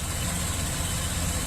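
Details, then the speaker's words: Chevy Express V8, about 330,000 miles, number 1 cylinder scored, after ring-freeing additive treatment: steady, even idle with slight shake, no knocks or ticks, though still said to misfire; normal idle. "see things running pretty smooth it's got a little shaky shake there but [Music] start from that cylinder wall no weird noises this thing runs pretty damn good for 300 330 000 miles"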